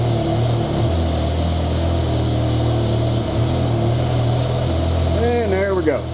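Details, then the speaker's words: BMW E60/E63 M5/M6 after replacing the failed cylinder 9 ignition coil, exhaust cutouts off: smooth even idle with steady low burble, no misfire beat; all cylinders firing and codes gone. "cars sound so much happier termites my exhaust cutouts off car looks a lot happier everybody's bouncing along all my codes are gone"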